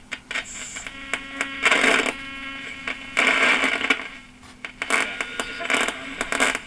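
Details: 1976 Lloyds Monteverdi stereo receiver, AM band while turning the tuning dial, FM fine: irregular bursts of sharp crackling static over a faint steady tone; owner suspects the tuning capacitor, unconfirmed; AM static crackle while tuning.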